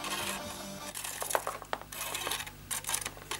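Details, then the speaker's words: 1997 Sony Discman D-345: music playback cuts out into sharp clicking and grating rattles when the player is moved, caused by a very loose, cracked disc spindle. "oh is it noisy at it up here that must be it my search yeah so it's when it moves"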